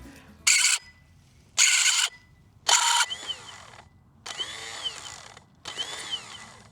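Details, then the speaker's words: Land Pride ZTS 48-inch zero-turn mower on a jumper pack: three sharp high shrieks then whirring spin-ups that fade; starter spins but shrieks, drive gear suspected not fully engaging, possibly a lubrication issue; not confirmed. "it was making a kind of a shrieking noise, but it sounded like it was spinning. What was the shrieking noise?"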